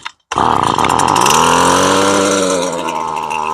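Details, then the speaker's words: STIHL two-stroke string trimmer restarted with choke returned to run position after first firing: catches at once, revs high, wavers slightly the first second, then settles into steady even buzz; normal cold restart. "Stroj môže mať zo začiatku trochu nepravidelný chod, ale väčšinou sa rozbehne."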